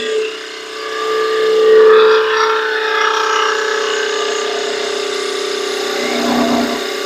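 Steady, even mid-pitched hum with a soft cutting hiss and no rattling chatter: the spindle is turning and cutting cleanly.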